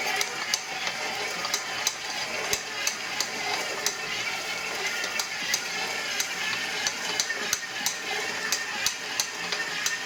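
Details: Brand-new KitchenAid ProLine 7 qt stand mixer: sharp, loud clicks about one or two a second from the gear assembly, louder than the steady hissy mixing noise. Clicking from the gear assembly.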